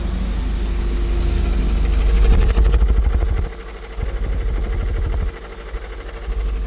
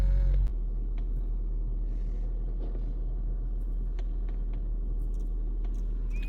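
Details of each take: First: 2014 Honda Vezel at idle: rough chugging, stumbling unevenly about three times a second, flashing check light; codes for cylinder 1-4 and random misfire (P0303); coils and plugs already checked, injectors suspected. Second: Honda Vezel 2014 hybrid, previously code P0303 misfire, after clearing codes and an injector check that found one faulty (replacing all four advised): steady even low idle rumble, no stumbles, scan shows no codes; normal idle.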